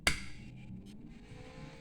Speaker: and when that happens you can hear the fans come on that means the bike's about to roll I want air flow while the bike's rolling